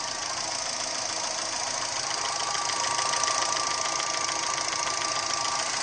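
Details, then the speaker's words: Gentra engine at a steady idle: a sharp, even tapping about three and a half times a second; an engine knock of unknown cause. "Вот такой звук стучащий."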